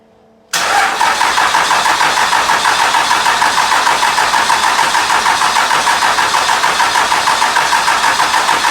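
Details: 2001 Cummins dually, around 240k miles, started after the cracked 53 block was replaced with a rebuilt 56 block and 50hp VCO injectors fitted. The starter catches almost at once and it settles into a steady, even diesel idle clatter with no knocks or misses.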